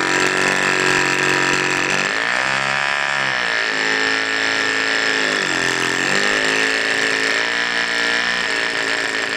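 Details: Cox mini diesel generator run with the exhaust open to avoid back pressure. Its high buzzy pitch sags and recovers every few seconds, hunting unevenly. It is running rough and out of tune, and the fuel hose is clogged.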